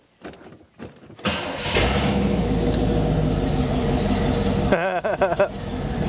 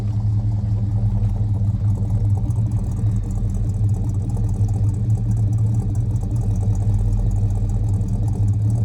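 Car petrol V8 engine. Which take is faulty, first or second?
first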